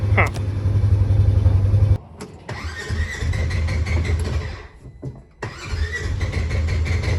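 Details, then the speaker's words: Polaris Ranger 900XP side-by-side after a ride: it runs briefly, then drops into long cranking bursts with pauses before catching again. Hot-restart trouble; leaking intake seals or a vacuum leak are suspected, air having been heard escaping; not confirmed. "so at I think that heart starting might be something to do with the seals on this intake right here cuz I can kind of hear like some air like right here somewhere"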